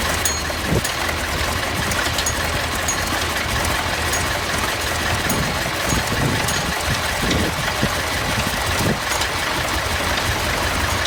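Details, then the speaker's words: Massey Ferguson 1155 diesel tractor, once seized, first run after getting fuel to the filters: steady even diesel clatter at idle, no misses or knocks, good oil pressure; sounds healthy. "That thing just sounds like it's ready to get don't sound too bad. I got good oil pressure."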